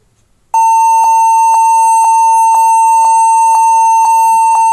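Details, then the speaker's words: HP 14s-cf2 laptop at power-on, memory cleaned without effect: a high beep repeating about twice a second, many times, while the display comes up; BIOS set to legacy boot, fixed by UEFI boot with GPT partition. "ternyata e masih bunyi ya masih bunyi panjang begitu sudah muncul di layar begitu"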